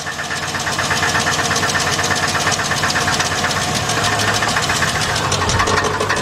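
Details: 2006 GMC Envoy XL Denali 5.3 V8 on a jack, in gear: fast metallic knocking over idle keeping pace with engine speed, located at the converter; loose flexplate-to-torque-converter bolts found.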